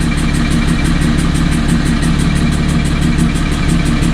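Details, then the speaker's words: Car after an autocross track day, intake taken apart and checked, idling; fast light ticking hiss about four a second over a low hum; metallic sucking noise, cause unknown, owner suspects the tune. "so as you can hear it's not going away um i have no idea what else it could be"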